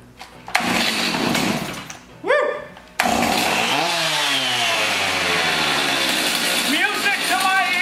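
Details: Garbage-picked chainsaw, rescued from a dumpster, fires after throttle linkage is reinstalled and choked, then settles into a steady high buzz, revving cleanly and running evenly.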